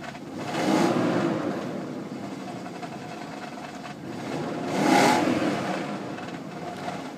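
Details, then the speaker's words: BMW 735i E38 engine, cold, given two throttle blips: a rough, hissy roar swells and fades with revs and is quieter once warm. The owner suspects both catalytic converters are failed from old age. Loud exhaust noise. "uh the both the catalyzers on the car are absolutely uh dogged absolutely gone like uh due to old age as you can hear like the the noise that happened recently"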